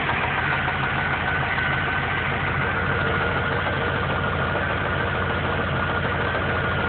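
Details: Engine knocking at idle with a dull, regular knock; oil level was found low about four months after an oil change. Owner first suspected rod knock but thinks it comes from the heads; mechanic says rod knock, lifters also suspected. Unconfirmed.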